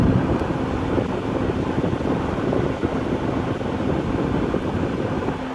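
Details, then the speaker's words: RV furnace in a cargo trailer, thermostat turned down at about 70°, gas shut off: steady airy whoosh with faint low hum easing at the end, drawing about 29 W. Normal blower cool-down run. "it's running a cool down cycle and that should shut off"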